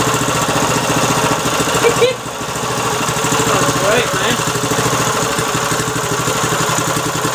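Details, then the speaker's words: Little-used Briggs & Stratton 3.5 HP single-cylinder engine after carb fix and freeing a jammed choke, started with ether, smoked a bit at start, oil clean: steady even idle with a clean firing beat; runs well. "it's killing you still me sounds good look get all Briggs & Stratton light it's Mikey she runs awesome beautiful"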